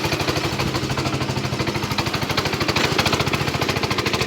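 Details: Small single-cylinder engine, replacement motor, electronic ignition, electric start, glass-bowl fuel filter, possibly 7 hp, warming up; quick steady beat around three firings a second, even and unbroken; healthy warm-up idle.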